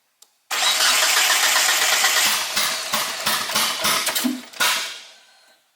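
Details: 1G GSX AWD big-turbo build, cranked with one coil pack unplugged to test a suspected wiring or grounding issue. Fast steady starter whirr for about four seconds, then uneven chuffs as it slows, never catching; cranks, no start.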